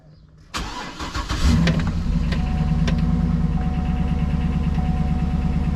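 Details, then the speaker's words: GMC Denali with LS engine, cold start: catches into fast idle with light ticking on top; noisy lifter, slow oil pressure buildup from rear pickup and long tube. "So, it takes a long time for the oil pressure to come up on these. And you can hear at least this one has a noisy lifter. So, I have to wait for it to uh warm up before I move it."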